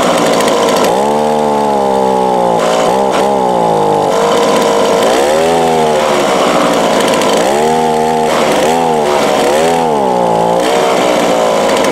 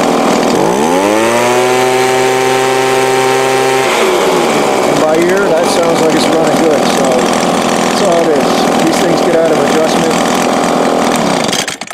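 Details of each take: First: Two-stroke small engine with Walbro/Zama-type carburettor, customer complaint verified: idles fine but on each full-throttle squeeze revs rise then sag and waver, bogging down instead of screaming clean; carb out of tune, mixture needs adjusting. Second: Two-stroke small engine with Walbro/Zama-type carburettor, full throttle after high-speed needle adjustment: revs cleanly to a steady, high, even buzz with no bogging or surging; previously bogged at full throttle while idling fine, carb out of tune.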